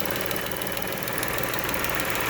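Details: 3.6 L Pentastar V6 at idle, microphone moved close, bank one guessed as the louder side: fast light ticking keeping pace with the engine, suspected worn or broken rocker arm.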